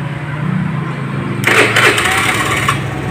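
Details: Honda Beat FI scooter, starter previously weak and rough even with a somewhat weak battery, after the ECU starter circuit was rewired (yellow-black and yellow-green wires cut, jumpered via the starter switch): steady hum, then a brisk, strong starter whirr spins the engine eagerly; cranking sounds healthy.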